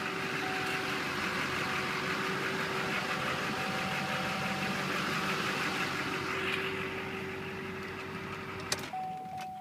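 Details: Chevrolet truck with Duramax diesel at an auto auction, started after glow plugs cycled: even diesel clatter with steady hum, no stumbles or surging over ten seconds; a smooth, healthy idle.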